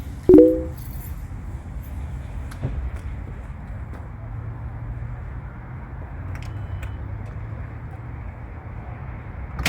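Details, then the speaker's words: 2017 Kia Sorento after new EverStart Platinum AGM battery installed: quick crank catches at once, settles into smooth, even idle with no knocks or misses; normal start and idle. "There we go, start it up, purrs like a kid."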